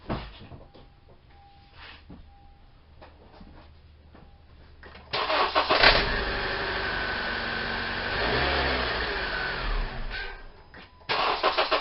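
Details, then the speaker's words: 2014 Honda CR-V, 2.4 K24 engine, cold start: brief metallic rattle/knock right at startup and rev, then settles as the timing chain tensioner pumps up; only when cold; timing chain and guides to be replaced. "hopefully you heard it too that little almost rattle or knocking noise right at the st"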